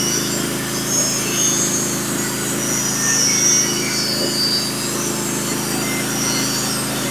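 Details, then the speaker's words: Norwood HD36v2 bandsaw mill with sharpened Stellicut (stellite) band and new roller guides cutting Red Oak deck boards; steady even band hiss over engine drone, no squeal or chatter: clean, healthy cut. "yeah it's perfect this this B is is setup is cutting beautiful right now"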